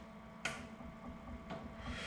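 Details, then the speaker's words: Series 8 printer commissioning, flush solenoid valve actuated from the controller screen's red test button: two crisp single clicks about a second apart over a faint hum; valve snapping open cleanly, working normally. "I'm going to go ahead and press each one in turn and what I'm looking for when I press them I'm actually listening for a click of the solenoid clicking so if we do the flush you can hear that nice click"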